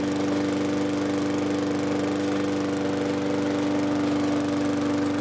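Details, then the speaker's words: Briggs & Stratton push mower engine after fitting new Lo-Tone muffler, part 394569S; even steady drone with smooth muted exhaust note, much quieter than before, no popping or harsh bark. "The muffler on. Part number in case you guys are curious about it, but it definitely made it much quieter. So definitely reduced the sound on the mower quite a bit. It doesn't sound like a helicopter flying through anymore,"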